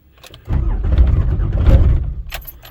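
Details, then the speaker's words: Rebuilt 5.9 Cummins swap cold start at 21°F ambient, coolant 28°, five-year-old dual batteries, anti-gel fuel only, no block heater, throttle or starting spray: second crank, heavy and labored about two seconds, no firing. Slow cranking, no start; starts third crank. "That's two cranks. See about third crank."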